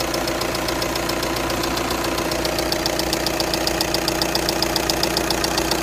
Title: 2.0tdi ticking noise cffb 103kw